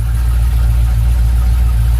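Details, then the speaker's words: 1997 Land Rover 4.0 V8 with a new exhaust, run briefly after head work: a deep, smooth, even idle burble with no ticking or blowing, sounding healthy. A head gasket leak is suspected nearby but is not audible. "so there's the engine it's running and you see it sounds really great"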